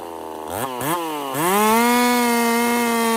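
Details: Husqvarna 50 Partner 5000 hybrid race chainsaw on its first cuts after a rebuild with a machined piston taper, in wood too big for the bar; it revs to a steady high scream, even and clean through the cut, without bogging. Normal cutting under load.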